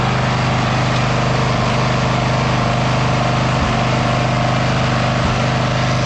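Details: Abandoned Bolens FS-11 articulating tractor with its wiring sorted (kill switch to coil ground, charging wire connected), battery at 12.8 V before starting and rising once running: steady, even single-cylinder beat with no misses or stumbles. Running cleanly and charging.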